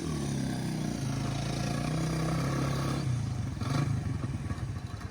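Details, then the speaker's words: Honda XR100 or Yamaha TTR90 pit bike on test ride: drone under load, then loose irregular clatter and crunch as it slows before being shut off; engine knock, possibly low on oil, unconfirmed. "She started getting extra crunchy. I was like, oh, I better shut her down."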